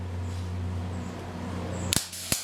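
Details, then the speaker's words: MIG welder on low voltage setting, wire speed around seven, spot welds: low steady hum then two sharp pops about a third of a second apart, arc popping not frying smoothly; beginner suspects wire speed too low, unconfirmed. "sometimes I get that popping that happens it's like it's having a hard time establishing a hot weld or something"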